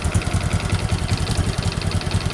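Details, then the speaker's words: Honda Supra X 125 with worn piston and cylinder block: loose, uneven low thumping idle with a rough "ketek ketek" clatter on each beat; oil gets into the combustion chamber and it smokes; fix is reboring the block. "dan sini ada juga kami dengar suara ketek ketek ketekek itu adalah suara Pon dan blok yang mana antara kedua ponan blok itu telah haus dan terjadi kelonggaran dan mengakibatkan suara timbulnya kasar"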